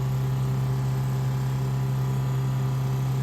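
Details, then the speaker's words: 1968 Plymouth Barracuda drag car, electric fuel pump after its bottom was opened and a return-line fuel log fitted for an 850 carburetor: low, steady, constant-pitch hum with no surge. Normal running, fittings dry, pressure just under 6.5. "So my pump is on. Fittings feel nice and dry."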